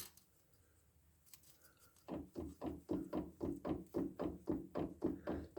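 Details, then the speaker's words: VW Baja with gearbox oil leaking into the CV joint: quick regular hollow clunks as the drive flange is rocked by hand, sideways play on the shaft; the same noise heard over small bumps. "See, that's the noise I was getting. I wasn't getting it from like the drive motion. I was getting it when I was going over really small bumps."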